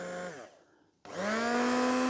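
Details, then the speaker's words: Tiffany brand two-speed hold-on stick blender from a charity shop: the steady motor whine cuts out, then returns higher on the second speed. Both speeds work, with little vibration and a healthy motor. "Yep. Two speeds work. Not a lot of vibration, which is good for these. Normally these have a lot of vibration in them."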